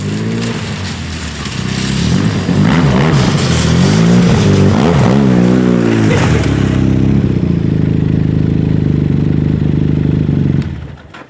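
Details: 2010 Arctic Cat Z1 Turbo snowmobile revving after replacing the heavy, overheating OEM muffler with an aftermarket exhaust; deep throaty burble climbing and falling cleanly with throttle blips, even firing, no knocks or rattles; normal revving, owner says it sounds badass.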